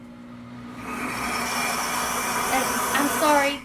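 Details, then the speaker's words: Pampered Chef Deluxe Cooking Blender making strawberry jam: motor spins up to a steady, only mildly loud whir for a few seconds then winds down cleanly; normal stirring cycle so jam won't burn, no grinding or rattle. "if it's um just kind of noisy but it's really not that loud and it'll just blend it so that your jam won't burn"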